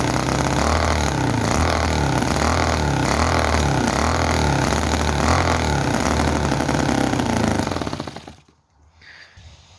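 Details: Petrol model V-twin (Chinese commercial model engine, oil added to crankcase), loud uneven pulsing at 3–4 beats/s, running fast and ragged with explosions, then dying. Lots of oil coming out of the engine; rough running, cause not confirmed.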